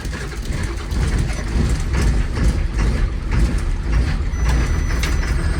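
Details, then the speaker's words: 2004 Blue Bird Vision bus with 7.2L Caterpillar C7 210 HP diesel, cold start at 23°F on jumper cables: deep, steady rumble settling into even idle, no knocks or misses; healthy cold engine. "Definitely love the sound of a good cold purring Caterpillar."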